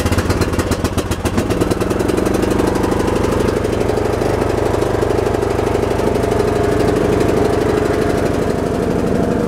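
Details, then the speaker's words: Briggs & Stratton Intek 17.5 HP engine on a lawn tractor, before carburetor cleaning: uneven single-cylinder chug that stumbles and fires irregularly, sputters when running; owner doubts a carb clean will fix it; these Intek engines tend to develop problems around 200 hours. "7.5 horsepower um it doesn't run it doesn't run it spiders when it's running"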